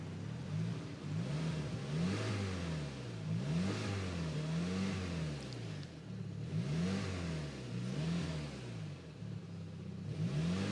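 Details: Saab just bought from a marketplace listing: clean, smooth rises and falls in pitch on throttle blips with no knocks or rattles; only a very faint repetitive knock is heard at idle; engine sounds healthy.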